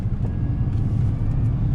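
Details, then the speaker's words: Chevrolet pickup driving after rear axle installation: steady low rumble with no rocks-in-a-dryer grinding from the new axle; remaining noise is from front tires chopped by loose front-end components. "this one's far better than the other one already because it doesn't sound like a bunch of rocks inside a dryer"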